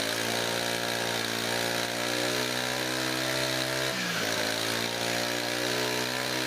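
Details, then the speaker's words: Brand-new Honda GX25 brush cutter, hard to start even with choke, revved high: sounds strained and flat with a brief dip midway, won't reach full revs and surges; owner unsure why, suspects the fuel. "เวลาที่ทำการเร่งเครื่องนะครับเท่าที่ฟังจากเสียงแล้วนะครับเหมือนกับเครื่องยนต์เร่งไม่สุดนะครับเร่งไม่สุดเสียงนะครับทุกท่านนะครับไม่รู้เป็นเพราะสาเหตุอะไรนะครับแล้วก็เวลาที่ผมเร่งนะครับเครื่องยนต์จะมีอาการวูบด้วยนะครับ"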